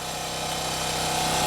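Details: Champion generator, about 3000 hours, original spark plug, after no-start fixed by checking fuel lines: steady, even hum holding one pitch under load, no surging; owner suspects fuel distribution issue or bad fuel.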